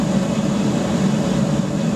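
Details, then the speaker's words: Gravity-fed waste-oil burner with small blower in a pot belly stove conversion, just after easy startup and before throttling up: steady even roar of flame and blower, no surging or sputter, burning clean; normal operation. "so where you can hear that's well and truly off and running quite nicely real nice easy startup with a uh a bit of excitement with a bit of a pop to let you know it's on its way"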